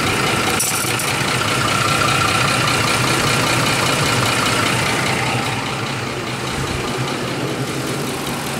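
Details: 2004 Ford F150 5.4 3V Triton V8, 104,000 miles, idling with a loud diesel-like clatter from worn cam phasers. Changing the VCT valves didn't help; replacing both phasers made it quiet.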